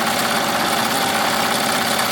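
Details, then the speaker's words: Melco embroidery machine with replacement hoop arms: a steady, even rapid stitching patter, much quieter, with none of the banging the earlier arms made; normal stitching. "But you see it's much quieter. It's not as loud. But it's not making that that that banging. It's not making that banging noise that the other one was making."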